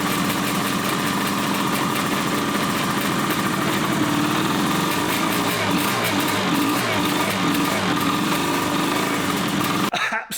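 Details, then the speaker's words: 1981 Suzuki GT250 X7 two-stroke twin after a full rebuild: steady but lumpy idle with a missing beat; running on one cylinder, and covering the left carb intake brings the other cylinder to life, so a carburettor fuel problem is suspected. "So, if I hold my hand over the intake on the left hand side carb, the other cylinder then starts to come to life."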